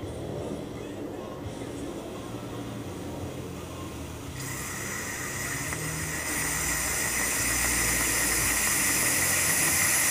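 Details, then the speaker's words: Moto Guzzi oil pressure relief valve being serviced and tested on compressed air: hiss builds as the air pressure is turned up, then becomes a steady rapid chatter as the valve lifts off its seat and blows off. "I'm just going to turn the air up and you'll hear this go foot foot foot foot foot"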